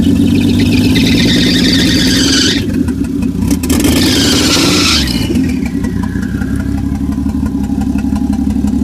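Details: 1JZ swap just started: choppy, lumpy idle with a high, thin squeal that comes and goes; vacuum stuck at 18 inHg, breaks up around 2500-3000 rpm; owner suspects the turbo and wonders if the idle is a misfire or knock; cause unconfirmed.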